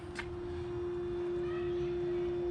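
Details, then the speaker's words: 2018 Chevrolet Cruze LT with aftermarket 9005 LED headlamps switched on: a steady, faint mid-pitched hum from the bulbs' cooling fans, which is normal. "can hear that those are the fans that cool the LED lights however that's the only downside"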